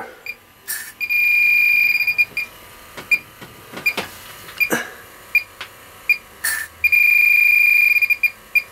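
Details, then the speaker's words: Refrigerant leak detector on an R404a condensing unit with 12,000 BTU rotary compressor, leak simulated with R134a inhaler propellant: beeps swell into a constant alarm tone; positive leak detection. "so um that's how a a positive uh leak detection sounds like uh thanks bye"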